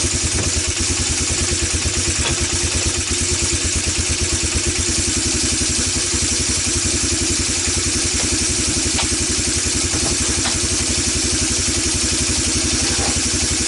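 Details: Single-cylinder ATV that sat for years, with the carburetor refitted, a plug fitted, fresh gas after old gas, and burning oil: thumping idle with uneven, stumbling beats and a clattery top end; it runs rough, cause not yet found.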